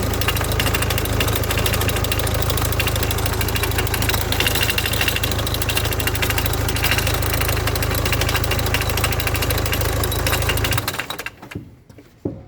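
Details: 2005 Hyundai Tucson 2.0 CRDI diesel idling with low drone and rough rattle until shutdown; damaged clutch release (thrust) bearing makes the fork jump so gears won't engage.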